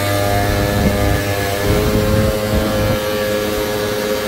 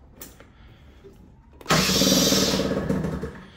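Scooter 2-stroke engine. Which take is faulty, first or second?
second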